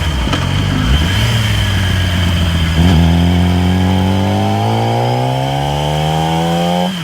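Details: 2008 Yamaha R6 pulling up through the revs and downshifting: faint whirring whine rising with engine speed, clearest at 6-7k rpm cruise range; whining noise while riding, cause unclear.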